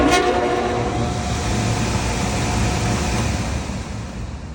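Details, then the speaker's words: York package unit with a replaced evaporator blower motor, running with panels off and spinning in the correct direction: a steady, even rush of air with a low hum, and no squeal, slap or knock. Normal running after the motor replacement. "make sure ain't nothing else uh going to be an issue that sounds perfect actually"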